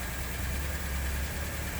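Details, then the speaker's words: 2016 Ford F-150, about 20,733 miles, check engine light, heard at idle with door open: low, lumpy idle with uneven pulse and shake felt in steering wheel and seat; one cylinder dead from low compression, likely a damaged piston. "we're gonna verify that the engine does in fact run rough which you can kind of feel it in the steering wheel but with an open door you can really see it"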